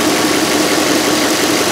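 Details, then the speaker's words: 2005 VW Touareg 4.2L V8 idling, check engine light with lean faults and stiff brake pedal: steady hiss over idle at previously patched vacuum hoses; heavy vacuum leak, likely explaining stiff pedal and possibly fuel trims. "there is a pretty heavy vacuum leaf which would explain our stiff brake pedal and could potentially affect our fuel trims"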